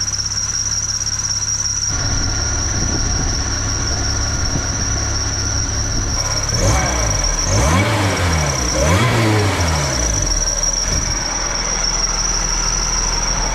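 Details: K-swapped supercharged K20 Civic wagon with K24 crank pulley, warm at 188°F, IAT 123, idling about 1,000 rpm; high steady whistle holding pitch over the idle, a slipping serpentine belt that later fixed itself.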